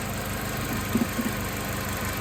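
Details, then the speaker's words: 2005 Chevy Malibu 2.2L, 250,000+ miles, warm idle after a test drive following a head gasket replacement. Even idle with a couple of faint ticks; still has coolant, no leaks, running normally. "Made it home. Woo! Made it home. She's running."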